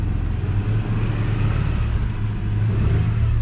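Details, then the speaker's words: 2001 Toyota Tacoma at a junk-car auction, 247,000 miles, no warning lights, clean gauge cluster: low, steady idle rumble with an even beat, no ticking, stumbling or rough patches; engine sounds smoothest of the sale, normal idle. "the gauge cluster is super clean no lights no cracks or anything in that cluster and the engine sounds the smoothest on this"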